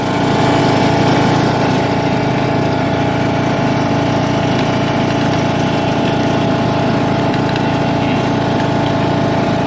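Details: John Deere LA115 with 19.5 hp Briggs & Stratton, after head gasket replacement: steady, even small-engine hum at constant idle with no knocking, puffing or misfire; runs normally.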